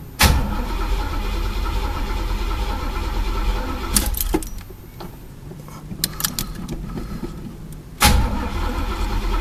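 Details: Chevy El Camino, sat about a month and a half, cranks in short bursts with no firing at all; fuel-starved because the tank was empty while the broken gas gauge read full. Owner had also suspected the fuel pump.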